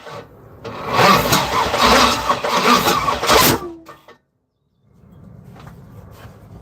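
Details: Third-gen (82–92) Camaro on starter fluid: starter grinds at slow, uneven rhythm with a few sharp coughs, then stops; cranks and pops but never catches. Owner suspects non-working injector, spark, timing or a bad ground.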